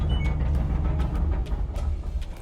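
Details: LG dryer, model DLE4801W, running: a heavy low rumble with irregular knocks and thumps, a loud tumbling noise. Teardown found one bad drum support wheel, which was replaced.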